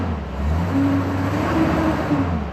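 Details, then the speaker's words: 2001 Chevrolet Silverado after a repair for stuttering and stalling, with P0300 cleared, brake-torqued to load it: even, steady low drone with no knocks or ticking; scanner counts a few minor misfires, nothing significant; normal running under load. "I'm going to brake torque this a little bit. See under load if it's picking anything up. Yeah, I do have a few little misfires in there. but nothing significant."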